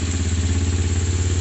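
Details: Kawasaki GPZ 500S 498cc carbureted twin, freshly serviced and rebuilt, exhausts not yet bracketed: even regular thump at steady idle, no clatter or misfire through open pipes; normal idle.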